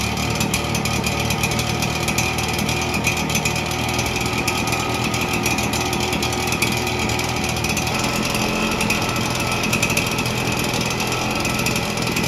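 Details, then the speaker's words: Red Max EBZ7100 two-stroke backpack blower rescued from the dump, with missing fuel lines replaced and the carburetor repaired, primed with starting fluid. It runs with a loud, steady buzz at even revs and a slight drop near the end: running normally. "Try the other way with the throttle. Ooh, that sounds like it."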